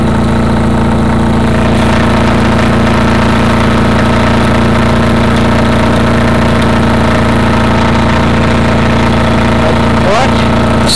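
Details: Craftsman GT6000 mower on first mow after welded deck-lift eyelet bolt repair: steady, even single-cylinder drone with constant low hum, no knocks or misses; engine runs healthy under load.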